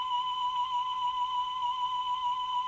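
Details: Repaired Grundig Stenorette 2070 Steno-Cassette dictation machine playing a test tone: steady high tone with a faint slow pitch waver. Speed is very slightly slow but within a couple of percent; mild wow and flutter, acceptable for dictation.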